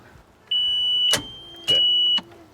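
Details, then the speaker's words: 1997 Ski Challenger S20 tow boat engine, said to have sucked up seaweed: three sharp clicks over a warning chime with no cranking, on a known-good battery. The starter tries to engage, but the engine may be seized (suspected). "that sound is bad click it again okay okay cause this battery is good sounds like the star just trying to engage um but it's not turning the engine over tells us the engine may be seized"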